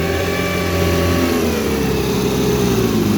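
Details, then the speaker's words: 1960 Scott-McCulloch 12hp outboard with a 14.1hp McCulloch powerhead, shifted from reverse back into forward and throttled up: buzz climbs smoothly without misses or stumbles; normal acceleration, good running motor. "Good running motor. Pretty enjoyable to run this one."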